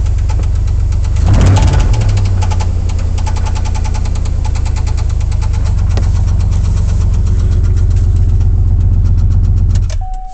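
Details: 2003 Chevrolet Silverado, 6.0 LQ4 V8 with comp cam, ported heads, LS7 valve springs and timing set, failed after 2000 miles: deep steady knock under the exhaust note at idle, connecting rod knock.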